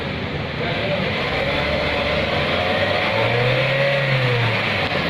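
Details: Honda Jazz after a front wheel bearing change: rough, wavering grind under braking. A defective front wheel hub stopped the wheel turning true, so the pads contacted the rotor unevenly. Replacing the hub fixed it.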